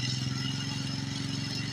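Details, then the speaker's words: 1992 Suzuki King Quad 300 single-cylinder ATV after a cold start holds a steady, fast, even idle on choke: normal high idle with choke on, before warming up. "Nice high rev when the choke is on. This is exactly the way you want it to run when the choke's on, I guess."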